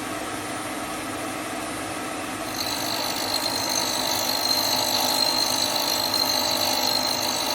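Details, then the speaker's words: Hope Woodturning MK2 thread-cutting jig at about 3000 rpm, male thread in beech, final 5th-click pass: quiet hum, then a steady high whine as the cutter bites, smooth; normal cutting. "je vais avancer lentement le filtage se dessine lentement j'exerce une petite pression pour le retour"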